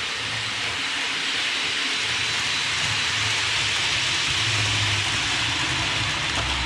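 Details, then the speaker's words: Hornby APT model coaches after about two weeks' use, before cleaning: steady high hiss and squeal circling the track, traced to dirty wheels and copper pickup contacts; fix is cleaning wheels and contacts. "all right so there you heard it uh squeak around the track"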